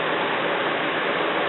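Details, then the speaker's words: Homemade shop air cleaner built from a household fan, switched on for the first time. A smooth, even rush of air with no knock, rattle or wobble; it is moving a lot of air. "I'm going to reach back here and turn it on for the first time, and but it really is moving a lot of air."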